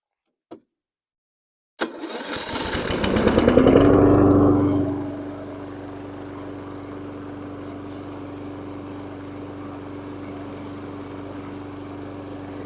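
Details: Stiga Combi 53 SEQ lawnmower, electric start (lithium-ion battery) after DIY repair with cheap relay and start button: brief crank, catches, revs up and settles into a steady, even idle. Healthy start.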